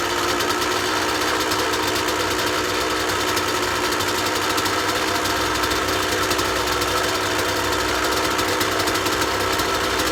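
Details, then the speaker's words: 2003 Kawasaki KX125 two-stroke used dirt bike, started without choke: crisp, buzzy fast steady idle with no top-end knock, but idling slightly high. The prospective buyer suggests a crankshaft seal at worst, unconfirmed. "engine runs good it sounds good it's crisp but it doesn't have any knocking noise up top in the top and it started without the choke the idles a little bit high"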